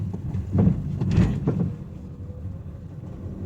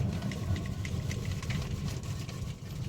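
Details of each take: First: Honda Amaze before repair, short bursts of dull clunks in quiet cabin while braking on road; suspension noise, in bad condition. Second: Honda Amaze braking after suspension and steering repair with new parts: only low road rumble, no clunks or knocks from front end; quiet suspension.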